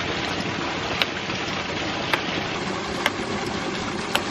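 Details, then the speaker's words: 1-inch ram pump restarted after sitting through winter, with a half-inch poly delivery pipe: crisp solid snaps about once a second at the waste valve and drive pipe over rushing water; cycling normally. "the pump is operating correctly you can hear a nice solid snap at the valve but also when you take a step back you can hear a very solid snap in the drive pipe"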